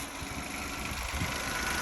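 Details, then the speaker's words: Peugeot 107 after crank sensor replacement, previously would not start: short even steady small-engine idle with no misses, knocks or hunting; starts and runs normally. "so started it up there you go we're running again just like that"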